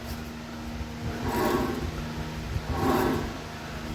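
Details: Ford Everest front spindle (wheel) bearing: a low growling hum swells and fades in slow waves as the wheel turns, clearly heard from above and not from the disc brake; a worn wheel bearing.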